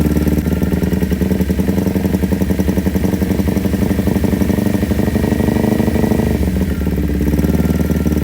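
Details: Kawasaki Ninja 250 carbureted twin before repair, with hesitation, limping throttle and high fuel use, filter open and the mic close to the air box: the idle throbs with a heavy, uneven suck-and-pulse beat. Hard intake vacuum pulsation, likely from carburetors out of balance.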